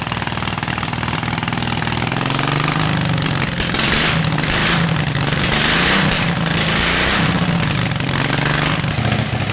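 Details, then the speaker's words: Predator 670cc V-twin chopper, first run with a new exhaust: fast, lumpy idle that stumbles every few beats. It is idling high with misfires on the rear cylinder; owner suspects the carburetor. "the idol sounds like idled a little high yeah no but it sounds like distinctively v-twin motorcycle i'm not going to say harley but it's close it's a little high and i'm having some misfires on the back"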